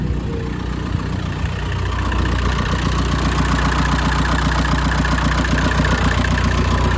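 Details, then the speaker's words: VW Caddy pickup with a 1.9 TDI PD130 diesel that started once the fuse box was dropped after a no-start. It settles into a steady low idle clatter at about three to four pulses a second, though it cuts out when the fuse box is refitted. "so it's starting it's the truck is running"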